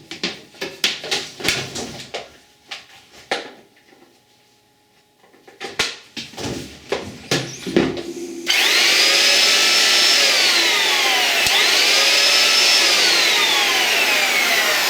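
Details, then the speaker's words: Erbauer (Screwfix) orbital sander that stopped mid-job, opened for repair: handling knocks, then a steady high motor whir with smooth speed swells and no grinding; motor runs fine. "There we go, the motor's perfectly fine on that."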